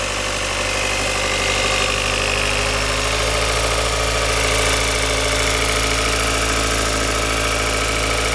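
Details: Idling engine with an uneven rhythmic knock of roughly three beats a second over a steady hum; abnormal engine noise at idle, source unclear.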